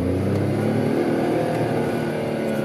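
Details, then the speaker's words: VW Polo with faulty camshaft position sensor (OBD P0342): full-throttle acceleration in first gear climbs then hangs flat near 4,500 rpm instead of winding out; limp-mode rev cap, same in every gear. "so when you're accelerating the RPMs go up it kind of caps it on my kayak caps a four and a half thousand rpms so you can't actually accelerate very hard"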